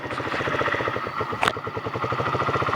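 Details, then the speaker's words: Chinese GY6 49cc four-stroke scooter, a couple thousand miles, no oil use, stock exhaust with holes drilled in it; starts and settles into an even quick putter, no knocks or rattles: normal idle. "It's not much louder, yeah. It's a good running little bike, these Chinese bikes."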